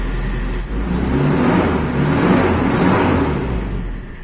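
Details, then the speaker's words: Toyota Kijang Super carbureted engine after a wash, following a 1000+ km trip: smooth steady idle hum with a gentle swell, no misses or tapping, radiator fan blowing; engine normal, no problems. "Alhamdulillah tidak ada kendala mesin normal saja ini kena hembusan kipas radiator"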